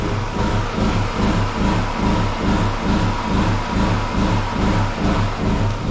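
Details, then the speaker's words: Small home generator under load powering freezers, TV and lights: engine pulses up and down about twice a second instead of holding revs, surging; owner suspects a blocked low idle jet. "okay so the generator come back into light so the generator's surging"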